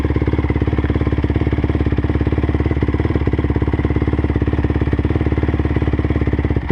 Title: 2009 crf 250r weird noise